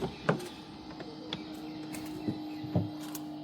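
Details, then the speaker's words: Suzuki Grand Vitara with Toyota strong hybrid system, on unlocking and opening the driver's door; short steady small-compressor hum with light clicks, the brake pump priming the hydraulic brakes since the car starts in EV mode with engine off, normal. "It sounds like a small compressor. Well, that's because it is. That is the brake pump priming the brake system."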